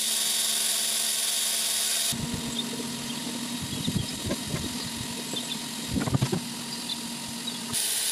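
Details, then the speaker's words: Old, worn 12 V 5 A fuel transfer pump, run on a 16 V DIY lithium pack (about 6 A), pumping kerosene from an oil tank: it starts abruptly with a steady mid-pitched electric hum and light fluid churn, then cuts off; running normally. "Right, I'm going to connect it up, you'll hear it, the pump start, and then hopefully we'll get the flow."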